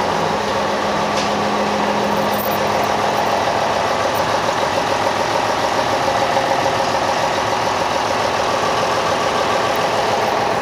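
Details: Ship main diesel engine started after oil level check and priming: steady, even rumble at about three and a half beats a second, no knocks or misses; healthy running after start.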